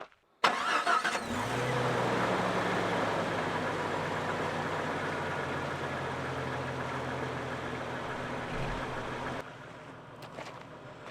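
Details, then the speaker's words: 1995 Jeep Cherokee XJ, factory 4.0 inline-six, 293,000 miles, paper air filter; owner debating head gasket. Catches and settles into busy, uneven clattery idle with diesel-like rattle, which owner says most 4.0s have; cause unclear. "Now, like most 4.0s, bitch rattles, sounds like a diesel."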